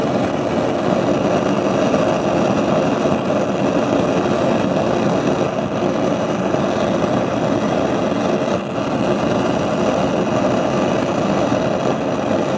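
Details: Gas stove burner while cooking gives a steady, loud, even rushing roar with no pulsing, far harder than normal; the owner blames a device used by downstairs tenants. The cause is unconfirmed.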